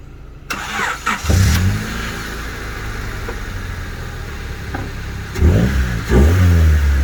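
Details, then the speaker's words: Honda Civic EJ1 cold start after a decade: brief crank, catches at once, settles into steady even idle with two clean throttle blips; healthy start, motor still running strong. "all right so there you have it she started right away and like i mentioned this is a pretty strong motor it's still running strong"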